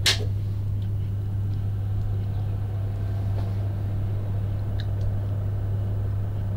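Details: Steady low droning hum with an even airy wash and no speed change from an eGPU enclosure test (Razer Core X with fan unplugged vs. modified OWC Mercury Helios holding an ASUS ROG Vega 64); the power supply fan is simply running loud.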